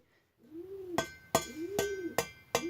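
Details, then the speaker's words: Nearly new two-stroke expansion-chamber exhaust, tapped for comparison with a carbon-clogged one. Each sharp tap rings out clear and sustained with a bright metallic tone: a clean chamber with no carbon. "on a un gros bruit métallique voyez ça résonne bien donc london ya pas de calamine normal il est quasiment tout neuf"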